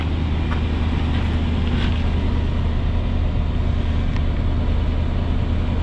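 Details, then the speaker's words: 1989 Chevrolet Suburban 1500 2WD V8, cold start after sitting: deep, steady rumble with an even beat, no knocks or rattles, only a tiny puff of smoke; sound cold idle right after startup. "That's a cold start."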